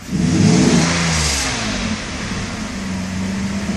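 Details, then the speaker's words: 1992 Mercedes S600 V12 in induced limp mode (ASR fault), with the gas pedal floored. The engine revs slowly and unevenly, choppy, rough and labored instead of climbing cleanly. Acceleration is held back by limp mode. "very choppy very slow acceleration very hard acceleration like it's very difficult for it to rev up"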